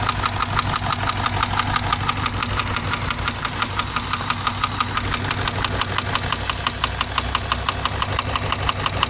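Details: Subaru boxer engine at idle: sharp, regular knocks about three per second over steady idle, internal engine knock; owner weighing repair versus replacement engine.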